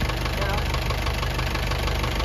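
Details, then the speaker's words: Isuzu 4BE1 diesel idling after all injectors were pulled and tips replaced, which cured yesterday's shaking; a steady, rapid light knock keeps time with the engine, the next noise to solve, from worn piston pin bushings. "Oh ngayon ang problema mga kayabi yung tunog na yan yun ang susunod nating isusolve."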